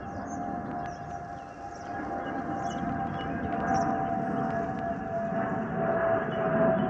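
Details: Spirit Airlines Airbus A320-232SL N623NK, flight NK810 DFW-DTW, in the cabin: a steady mid-pitched fuel overpressure protector (FOPP) whistle over the cabin rumble, the usual A320 whistle, normal.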